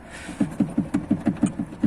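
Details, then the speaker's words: Lada Priora, rear right: dull hollow knocks about five a second as the fuel filler pipe taps against the body side member, clearly heard in cabin; fix with rubber spacer between pipe and member. "но когда делаешь вот так то есть вот слышите да не знаю как на видео слышно ни от стук идет о салон этот стук его вообще прекрасно слышно"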